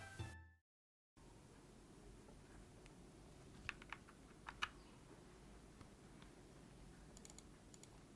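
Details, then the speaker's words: Akko ACR59 HHKB-layout keyboard, stock Jelly Pink switches: soft keystrokes with a few louder hollow clacks carrying a loose buzzy tail; spacebar stabilizer rattle. "stock the switches sound good the space bar however exhibits a rattle have a listen for yourself"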